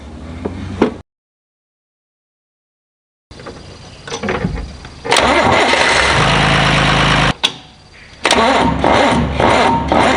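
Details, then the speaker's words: John Deere 2955 tractor diesel after installing gear reduction high-torque starter to overcome slow cranking from a loaded hydraulic pump; steering wheel not turned: brisk, even cranking, quick catch; normal cranking and starting. "i call that a success the first two starts you heard i was not turning the wheel that little starter is powering right through the pump and starts up like the other starter does when it's warm"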